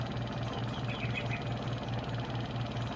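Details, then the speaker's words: Washing machine spin dryer after repair; customer had complained of a creaking spin, possibly from bearing or belt. Suspension fine; the fault was the shifting and dashpot. Low steady hum with soft regular pulse, no squeal or rubbing: creak gone. "walang problema siya. Okay na guys. Goods na. Ayan nawala na yung langit."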